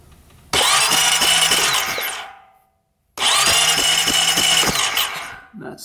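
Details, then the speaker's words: 2008 Honda Rancher 420 ATV with a new ignition coil and a brand-new plug grounded to the engine: two roughly 2-second cranking bursts, the starter spinning evenly at about three turns a second, never catching; still no spark, so it looks like neither the coil nor the plug was the cause. "no spark so it looks like it wasn't the coil"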